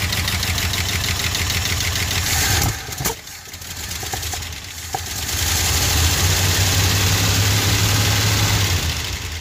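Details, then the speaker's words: 1974 Ford F-250 Highboy 4x4, sat about 20+ years, first start with ignition timing known to be off and fuel supply issues: idles rough with sharp pops and a stumble, then recovers; backfire from incorrect ignition timing. "And because we know the timing was off, we still need to adjust that a little bit too. So that'll account for that backfire crap."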